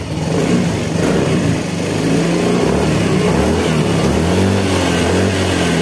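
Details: Fazzio scooter that wouldn't start and kept draining its battery, running on a new battery reading 12.67 V: engine catches and revs cleanly with an even note, normal running; the ignition system is suspected of drawing current.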